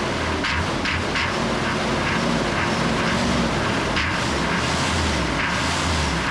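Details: 1988 Chevy C2500 with a 6.2 diesel and Banks turbo, over 400,000 miles, revived with a gas-soaked rag in the air filter; loud, steady diesel roar at an even pace with no misses or knocks, running normally.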